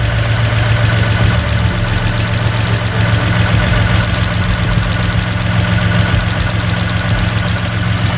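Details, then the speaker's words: Toyota pickup with swapped 3.4L V6 at idle: fast, fairly even tick near four per second over the engine note from one vacuum switching valve (VSV) clicking loudly, goes quiet when revved; owner unsure why, will check plumbing. "all right guys this thing's running pretty good but my one of my vsv's is clicking really if i loud it it gets quiet"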